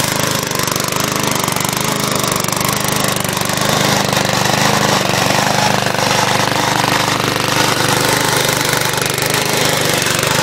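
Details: Scrapyard-found crank-start Briggs & Stratton push mower running on fresh gas after cable adjustment: fast, even single-cylinder popping beat at steady speed with no misses; runs normally.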